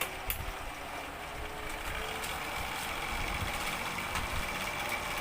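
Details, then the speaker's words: Electric fan motor running with a steady hum and uneven rattling knock from the rear as the rotor strikes the housing; bushing first suspected, but a broken rear spacer/stopper was found on opening. "Pero yun nga meron yang maingay sa likod"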